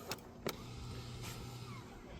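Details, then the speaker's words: 2020 Hyundai Palisade, electronic parking brake activated in service mode during rear pad job: a couple of clicks, then a quiet low motor hum about a second and stops; brake engaged, rotor stops spinning, normal. "I don't know if you can hear that sound, so you can see the parking brake is on the dashboard. So let me show you right now. The electronic parking brake is engaged and the rotor is not spinning."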